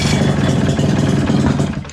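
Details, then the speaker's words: 1989 Johnson 35 hp outboard that sat for 15 years, first start without the lower unit and with no cooling water: it catches and runs uneven and lumpy with a little throttle, then fades out. Rough running. "let's give her a little throttle okay you're getting we're getting there gave her a little juice"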